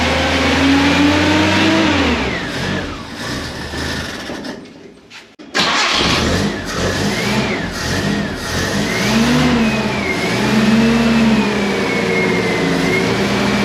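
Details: Premier 118 NE car started after sitting unused a long time: engine catches after a pause, revs up and falls back cleanly several times, settles to steady idle; runs fine.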